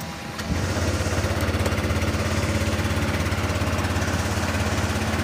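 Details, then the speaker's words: Honda Click 125i V2 scooter that kept stalling, after the adjustment: starts and settles into a steady, even idle of about three pulses a second, no hunting or dying, no longer stalls. "Ayan mga tol okay na yung takbo niya bale hindi na siya namamatayan ng ano ng makina"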